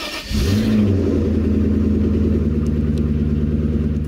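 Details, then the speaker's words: Maserati 3200 GT biturbo V8, bought cheaply with doubtful mechanical condition. It starts and settles into a fast idle with a rapid, even clicking over the engine note. The owner is unsure what the ticking implies. "thấy tất cả những tiếng click quyến rũ đó? Tôi đang cố gắng phớt lờ và quên nó đi vào lúc này để không bực mình khi nghĩ đến điều này có thể ám chỉ điều gì,"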